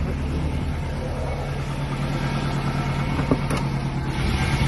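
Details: Subaru EJ205 boxer at steady idle with a rhythmic knock about three beats a second; owner asks whether piston slap or damaged crankshaft bearings, cause unconfirmed.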